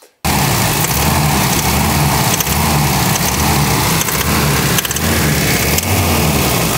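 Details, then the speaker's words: Isuzu engine that starts but stalls after a while: a rough idle with a dull tap about once a second, an engine knock; owner suspects valve clearance, a valve or a rocker, not confirmed. "Czyli nie jeżdżący samochód w sumie to jeździ tylko trochę silnik puka"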